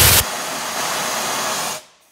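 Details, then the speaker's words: Workshop air compressor, first test after freeing it up: tank drain tap opened on the big, full tank, giving a strong steady hiss of air for over a second before cutting off; the tank holds plenty of pressure, working normally. "I think we can safely say that's working"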